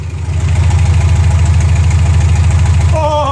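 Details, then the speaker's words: Minitruck just got running after troubleshooting, open straight header: loud even idle with a steady low pulse around three to four beats a second, no stumble or miss. "oh my god do you hear it it's running and it's running so beautifully oh my God yeah it's just straight header right now"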